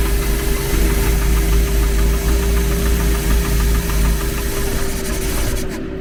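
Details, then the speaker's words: Renault 11 TXE carburettor engine after new pulley fitted, idling barely 500 rpm instead of 800: low uneven lumpy idle, wavering beat, barely turning over; idle stop screw not bearing on the throttle lever, so idle sits too low. "Ah oui, attends, le problème c'est que la butée, elle appuie pas où du tout où il faut"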